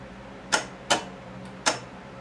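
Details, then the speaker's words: John Deere 318 repowered with a Honda engine. Four sharp clicks about half a second apart with no cranking while the test light dims; solenoid clicking from low voltage, planned fix is adding a relay. "see how weak it is you heard of that so it's not getting complete voltage there all the time"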